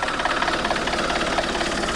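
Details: Alfa Romeo 159 1.9 JTDM diesel after new turbo fitted, intake pipe not yet on, so it could not be revved: steady, even idle clatter with a light hiss on top, no knocks or misses; sounds healthy and quiet.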